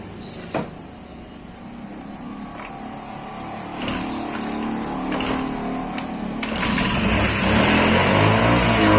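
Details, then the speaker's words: Motorcycle engine that had seized from dry oil with the kickstarter stuck, fixed without engine teardown, test start: quiet at first, then the small engine picks up and settles into an even run with no grinding or knocking. "Oke, sudah berhasil."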